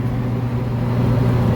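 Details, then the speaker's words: Belt-drive restaurant exhaust fan after a loud noise was traced to bad motor bearings, after greasing last year's bearings, aligning and tensioning the belt: steady low hum and smooth airflow, no squeal or rumble; current draw under 10.5 A FLA at 208 V single-phase. "then start it up and check her and draw again everything's nice and quiet"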